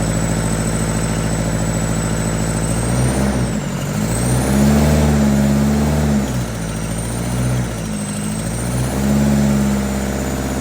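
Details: Freshly fitted, bled diesel engine in a cheap recovery truck runs rough with a rhythmic throbbing chop swelling and fading like a helicopter; injectors refitted after seal replacement were found damaged, misfiring and knocking.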